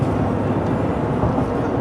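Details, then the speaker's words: Chevy 2500 pickup, 93,000 miles, on a road test about 5 miles in after balance beads were installed in the tires to cure a vibration: steady, even road and tyre rumble at the same cruising speed, no rear clanging; steering-wheel vibration gone. "Well, I've driven this thing about 5 miles now, and I don't feel it in the steering wheel like I did before. We're going about the same speed. You can even hear it's not chinging and clanging in the back."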